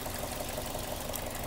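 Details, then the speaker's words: Toyota Corolla Altis, warm engine after about 45 minutes running (no noise at first start), idle then rev: faint regular tapping knock under the hum, then a louder blip; knock appears only when hot; engine knock. "Pero yan, lumabas na yung maingay. Katok na po talaga."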